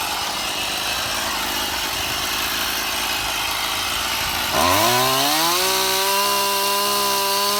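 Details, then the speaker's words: Stihl MS171 chainsaw after a new ignition module, correct spark plug and carburetor and filter cleaning: it idles evenly, then revs cleanly to a steady high scream without stumbling; it runs well. "Okay, my camera ran out of battery in the middle of the test run, but as you can see, it ran quite Well"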